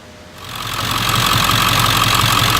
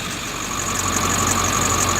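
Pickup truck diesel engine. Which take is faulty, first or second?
second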